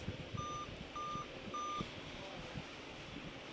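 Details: Dell Inspiron N5040 laptop powers on with no display, giving three evenly spaced short beeps repeatedly: the 3-beep memory code, RAM reading 1.5 V, traced to a broken RAM slot connection.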